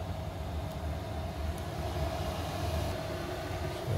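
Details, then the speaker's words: Diesel heater after motherboard/controller swap, running at apparent maximum fan speed and fuel delivery: steady low rumble with faint hum and fan rush, no ticking or surging. "that's certainly going now that sounds like maximum fan speed and probably maximum fuel delivery as well"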